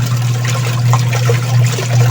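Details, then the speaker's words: Union Lavamatic washing machine tested with water after its noisy gearcase was replaced: an even low motor hum under sloshing water, with no grinding or knocking; it spins strongly, agitates normally, and shows no leaks. "Nilagayan natin siya ng tubig. So malakas namang umikot."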